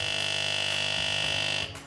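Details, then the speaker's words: Normal loud steady pump buzz on a De'Longhi Magnifica S Smart espresso machine (ECAM250 series) during first setup, as the empty circuit fills with fresh water through the steam wand, then cuts off; normal priming noise. "Puneți un vas sub dispozitivul de spumare și învârtiți butonul pentru a turna apă prin duză. Este normal să auziți un zgomot puternic –"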